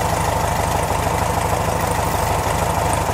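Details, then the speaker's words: 1969 VW Beetle air-cooled flat-four at idle, after fitting a new Pertronix distributor and adjusting the ignition timing: an even, steady idle with regular pulses and no stumble or knock. Running better. "There, that sounds better, huh? All right, I think we're a little better lined up."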